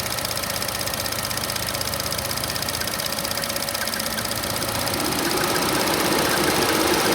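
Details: 2014 Chevy Sonic LTZ Turbo 1.4L idling with A/C on: quick regular bird-like chirp about four times a second over a thin high squeal.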